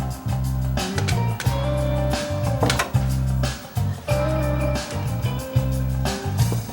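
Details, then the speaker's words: Rotel RCC940 5-disc CD changer after a tweak fixed its skipping: now at track 16 and out toward the disc edge, music plays straight through with no skips, dropouts or stutters. "Or now up to track number 16, still playing. No problem so far, so I'm going to keep my fingers crossed it's continue to play."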